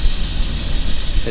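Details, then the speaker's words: Loaded flatbed semi truck at idle at the Wyoming I-80 port of entry. A loud, steady high air hiss runs over a low rumble. The air dryer is leaking, and it was later bypassed by splicing its lines together so air goes straight to the tank. "You hear that noise? That's my air dryer is leaking."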